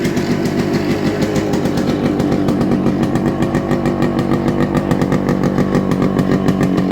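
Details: Yamaha RX100 two-stroke with the original silencer, loud and smoky: crackly buzz that rises and falls with the throttle, with even firing throughout; a healthy stock exhaust note.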